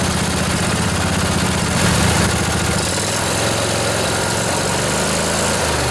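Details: Revived junkyard Briggs & Stratton Intek OHV twin, 20–22 hp, model 40777, in a Husqvarna riding mower, with a new carburetor: fires up and settles into a steady, even idle with no knocks or misses; running healthy.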